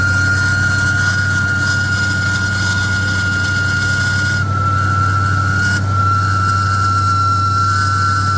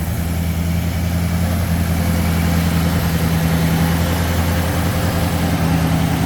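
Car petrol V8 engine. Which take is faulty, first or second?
first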